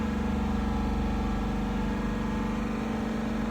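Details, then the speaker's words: 2021 Dodge Durango R/T 5.7 HEMI V8 after a spark plug replacement, held at 3000 rpm: a smooth, even hum with no misses, knocks or rattles; the engine runs normally with no misfire. "Right at 3,000. You may even have to test drive the vehicle just to make sure you don't get an engine light."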